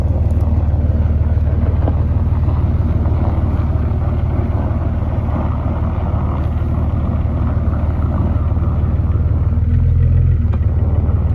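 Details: 2004 Jeep Grand Cherokee 4.0 inline-six with THOR cold air intake, running after a new Flowmaster muffler and tailpipe replaced the rusted-off tailpipe: deep, even rumble with a steady firing beat, no knocks or misses; normal exhaust note.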